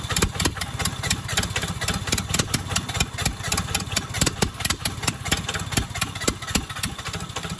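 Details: Cheap used skid steer engine, reassembled with excess valve lash: rapid even cranking with brief catches that die away, fires only on sprayed starting fluid and won't run alone; cause unconfirmed.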